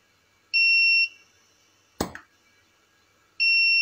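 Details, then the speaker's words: Tronic Alfa 800 W monoblock studio flash after repair of power calibration and drop faults, tested with standard reflector and LED modeling lamp; ready beep, one sharp flash pop, ready beep returns within about 1.5 s, power no longer dropping: normal firing and recycling. "makanya tembakannya walaupun suaranya enggak begitu ngeri tapi efek panasnya berasa gitu teman-teman"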